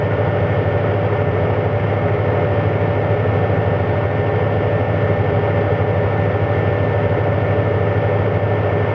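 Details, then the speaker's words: 1983 Ford E-150 van with 5.8L V8, probably over 200,000 miles, after new water pump and timing chain, warm at about 193° with 195° thermostat, running about six minutes: deep even idle rumble, no ticks, knocks or squeals; normal idle. "engine's been running about six minutes no no perceived problems"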